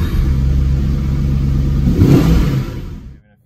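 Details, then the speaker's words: 1997 Jaguar XK8 V8 with 12,000 miles, idling at a red light a few miles into a test drive after replacing the faulty ignition module: low, steady note with no missing or stumbling and no warning lights; it runs smoothly. "So far, so good. Great drivability, nice and smooth. No missing, no weird lights."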